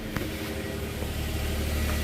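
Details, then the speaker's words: 2007 Kia Sorento RWD after driveshaft replacement (a balancing part had caused banging), rolling. Even low rumble with no rhythmic banging or thumping; the driveshaft looks smooth right where it was banging, good to go. "We got her rolling. Drive shaft looks smooth. Right where it was banging looks smooth. I think we're good to go."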